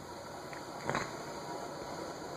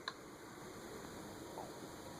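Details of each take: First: 1990s Emerson Tristar "Air Design" ceiling fan on high: steady whir with a rough, gritty rumble of bearing noise (quiet on low) and a quick spin-down; owner suspects something stuck in the bearing but found nothing. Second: Emerson Tristar "Air Design" ceiling fan on low speed: only a soft, steady airy hum with no ticking, rumble or grinding; bearing noise, audible on medium and high, is not yet noticeable on low.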